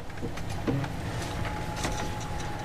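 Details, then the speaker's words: Bavaria 32 sailboat sailing with S-drive in neutral, fixed (non-folding) propeller freewheeling: thin steady high whine like an electric car under water and wind noise; cause unknown, owner unsure if normal or a sail drive fault. "as you can hear it is sounding like a electric car or something but but um yeah it's when it's in neutral"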